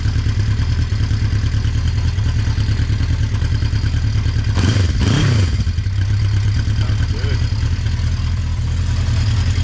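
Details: 1980 Honda CB650C four-cylinder, just after a cold start on choke with the original OEM 4-into-4 exhaust refitted: steady, even burble with one quick throttle blip midway. No knocks or ticks; clean, healthy idle.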